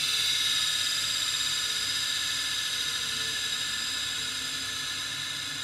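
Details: Old scrapyard hard drive with damaged connectors, powered on; thin high whine fades as it gets slower and stops, failing to stay spun up.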